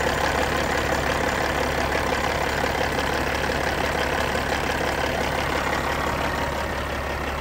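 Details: Cat 3406E diesel engine from a 1999 Western Star 4964SX truck, running at idle: deep steady clatter with an even rhythm and no misses or heavy knocks, a normal idle.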